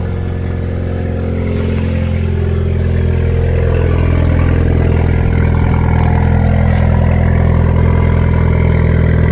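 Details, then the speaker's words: 2016 Ford Fiesta ST salvage rebuild, 47,000 miles, cold start, straight-piped exhaust: deep, loud, even drone at a steady fast cold idle, no ticks or rattles; normal cold-start idle. "47 000 miles can't run outside so you can hear it on a cold"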